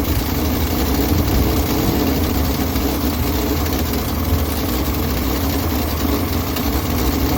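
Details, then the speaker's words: 1965 Ford Mustang 200 inline-six, started after throttle ball stud repair, no tachometer: even six-cylinder idle sitting noticeably fast with steady rumble, no hunting. "Sounds like the idle's a little bit high on this thing, and of course there's no tachometer on it, so I'll probably just have to get my tachometer out and then look at the book that I have in the Chilt manual and see what the idle RPM needs to be while it's warm, and then I'll get it all tuned in."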